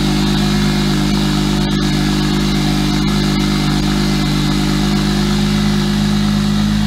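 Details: Single-turbo BMW 335i with JB4, first start after sitting 3 months in Canadian snow, in neutral; ran a little rough at first, now a steady, smooth idle with an even low drone, no misses or knocks; normal idle.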